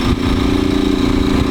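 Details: Motorcycle with a 4mm-modified engine and naturally aspirated head; a fast, clattery idle with a steady buzz on top. The owner says it sounds like something loose inside, cause unknown. Abnormal engine noise.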